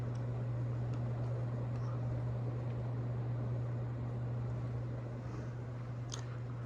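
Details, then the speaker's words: Casablanca Lady Delta ceiling fan on high speed: steady low hum under an even rush of air, no ticking, wobble or rubbing; owner noted slight bearing noise earlier. Normal, powerful running. "let's put this baby to high wow this thing is kicking ass it's just incredible"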